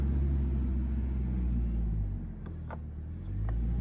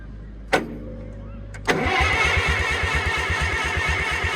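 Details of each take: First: IH tractor being readied, 13.5 V battery with loosely fitted cable terminals: slow, laboured low churning about three turns a second that sags midway, starter barely turning the engine; slow cranking. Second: IH tractor engine with the oil pump reinstalled, cranked on the starter to check oil flow; after a clunk it turns over evenly, about three compressions a second, without firing. Cranking is healthy and oil pressure then shows on the gauge.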